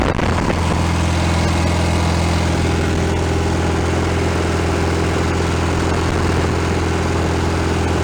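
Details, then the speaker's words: 1965 VW Beetle rebuilt air-cooled flat-four, first run on the ground without engine stand after fixing small carburetor fuel leaks, planned 20-minute run-in: strong, steady low thrum at idle, even beat, no tapping or misfire; normal healthy idle. "all right we're good to go sounds pretty good"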